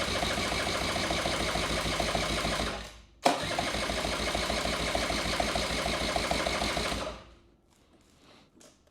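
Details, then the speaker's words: 1984 Honda Spree scooter, unused for years, cranked with only a smidgen of gas added: a quick, even starter churn around 200 a minute never catches or fires, fuel apparently not reaching the carb. Crank, no start. "lean it back so it gets in that think we need more gas I don't think it's getting there"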